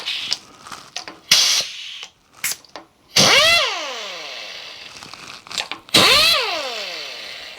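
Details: Kurt power drawbar on a mill, being fixed with a cheap Harbor Freight butterfly air impact wrench, with air hooked up: two short bursts of air-driven hammering, each winding down smoothly as the tool seats; it pulls in cleanly, normal drawbar operation.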